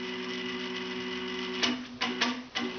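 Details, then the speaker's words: 425 oz/in stepper motor on a Gecko G540 driver, trim set at the low end: a quiet hum, then sharp clicks and jolts at each start and stop; the jerk means the trim needs raising. "at the lower end there's a bit of a jerk when you start and stop so i'm going to trim it up just a bit"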